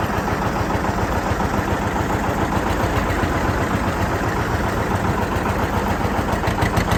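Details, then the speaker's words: John Deere 730 two-cylinder tractor pulling a John Deere RWA disk, driving under load: steady, even popping beat with continuous rumble, no knocks or misses; normal running. "i'll take you down the road here a little bit let you hear it run and operate"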